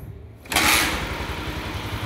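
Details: Motorcycle kick-started on the first kick with the ignition on, after fitting a hidden anti-theft switch wired between the ignition coil and the wiring: the engine catches at once and settles into a steady idle with even pulses; starts cleanly.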